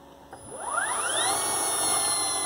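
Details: Nissan Leaf Gen 2 motor, inverter and battery running on a workshop pallet with throttle and differential output, no car: a clean whine sweeps up in pitch over about a second, then holds a high steady tone. Healthy electric motor spinning up.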